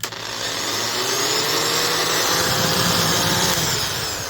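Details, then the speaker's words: Worx RX665L first-generation oscillating multi tool at up to 20,000 cycles a minute; high buzz with chattering rattle as the plastic-supported front motor bearing has wallowed out the casing, causing vibration and power loss. "hear that rattling sound? I mean, the core of the issue on this is that the front of the motor is supported by plastic due to the heavy vibration, the racking back and forth at up to 20,000 cycles a minute."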